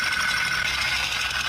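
At idle, a steady light knocking rides on a bright, busy engine note, consistent with a broken piston pin.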